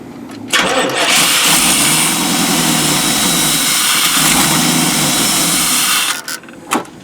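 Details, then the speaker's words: 1992 Chevy P30 RV, TBI 454 V8, hot day: catches, roars unevenly, sputters and dies; runs better with MAP sensor unplugged, fuel starvation, suspected weak inline pump or faulty fuel pressure regulator. "I guess it wants to have a vacuum leak so I unhook the map sensor and it runs much better which is a classic sign of fuel starvation"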